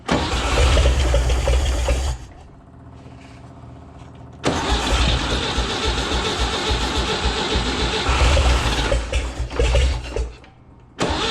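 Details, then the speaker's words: 1961 Chevrolet Impala, base 235 six-cylinder, 3-speed manual, parked 28 years in a junkyard, first start: stumbles, dies and catches again with ragged firing; runs rough, owner suspects too much fuel or a vacuum leak, maybe timing. "ah that boy ain't right seems like it might be getting too much fuel too you gotta really give it to it so maybe we got a vacuum leak"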